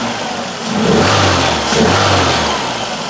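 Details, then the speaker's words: Citroen CX GTi on first start after a head gasket job with skimmed head and adjusted valve clearance, warming up at 57 degrees with the fan not yet on: warm, even big-engine idle with a light rev blip, no knocks or misses. "It's sounding pretty nice. What I want to see is the fan kicking in when it gets hot enough for that. But it will take a while, because it's a big engine."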